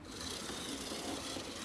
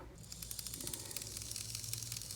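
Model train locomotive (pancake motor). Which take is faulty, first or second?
second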